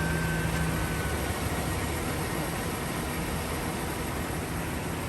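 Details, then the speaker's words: GM V8 truck that had major lifter ticking, idling after the rocker arm bolts were sanded about a thousandth: deep, steady, smooth idle rumble with no tick or tap. The ticking is gone. "Once I sanded those bolts and let it idle, and I mean, it's like a brand new truck."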